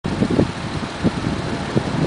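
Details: Mazda 6 engine rattle/knock between 1000-1500 rpm, light uneven rattling bursts over low rumble, noticed after removing clogged catalytic converters and installing new MSDS headers; cause not pinned down.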